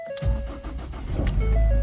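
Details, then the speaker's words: 2012 Ford Escape salvage AWD, started briefly with a loose piece rubbing the AC compressor belt: short crank, catches at once, steady low idle; normal engine start. "See, it fires right up."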